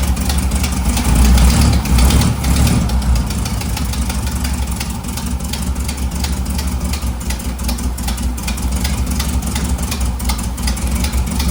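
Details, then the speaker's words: 1958 Karmann Ghia air-cooled flat-four after rebuild, first start after adjusting rocker/valve clearances (valves were being held open) and swapping the carburetor: brief rev then steady, even idle with no clatter or misfire; normal idle. "So, that's how it was just um setting the rockers, the adjustments on the valves, and it turned right on."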